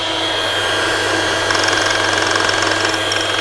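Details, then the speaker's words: Parkside drill-bit sharpener grinding a badly damaged 10 mm bit with the grinding wheel raised: high, gritty grinding over a steady motor hum, meaning it is sharpening normally. "means that it is sharpening we lower it we turn it 180 degrees and we go to sharpen the other edge"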